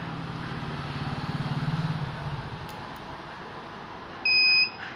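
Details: Microtek hybrid inverter under repair: faint hum, then one sharp high-pitched beep lasting about half a second; the inverter is alarming, cause not identified.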